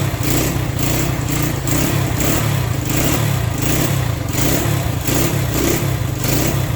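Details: Worn Honda SL100 single in a 1975 SL125/XL125 frame, re-ringed, just kick-started cold on choke: beat surges unevenly, rising and sagging about every second; owner suspects carburetor adjustment, possibly timing; rough cold running.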